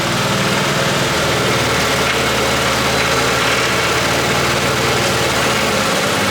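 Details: R33 Skyline after an engine swap, first start-up after long sitting: steady idle with a light, busy metallic rattle. Suspected unbled lifters or a head and VTC not yet getting oil; it is hoped to fade with running.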